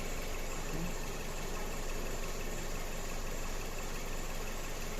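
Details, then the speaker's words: Mazda CX-7 2.3 at idle with misfires persisting despite replaced engine, software and injectors; low idle with uneven lumpy pulse and occasional stumbles; scope shows injector drive signals differing between cylinders. "на машину є в нас відрізняється бачите відрізняються у нас як результат у нас пропуски запалення циліндра"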